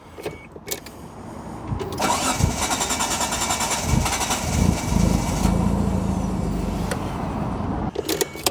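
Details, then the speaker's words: 1995 Mitsubishi FTO GR not started in 10 years: starter cranks steadily for several seconds but it never runs on its own; owner suspects a worn or partially seized fuel pump or airflow meter fault. "So, I'm wondering if there's a problem with the air flow meter or something like that, or even the fuel pump's just that old and worn. It's just not giving enough fuel pressure for it to run on its own."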